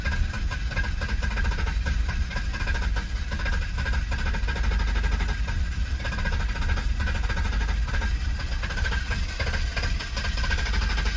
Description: 1992 BMW 730i (E32) hard starting after being left undriven for a month.